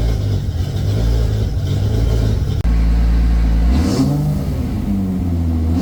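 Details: Toyota 2JZ VVTi JZ swap's very first start after ECU calibration and timing set (trigger setup issue noted): engine catches, settles into a steady idle, blips up and back with an even firing pulse, no knocks or misses; normal running.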